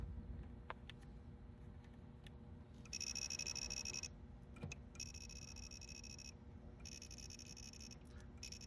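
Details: Williams System 11b Black Knight 2000 pinball, logic probe on connector 1J7 lamp column from the board: high electronic tone bursts switching on and off over a faint room hum. Logic probe pulsing on lamp column.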